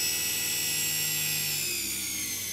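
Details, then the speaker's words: Small series-wound DC motor regen braking into supercapacitor bank, braking power increased: high PWM whine over motor hum dropping in pitch as motor slows under hard braking; normal regen operation. "right there we're on it we're really breaking now you can hear these the better effect that the super capacitors I have them"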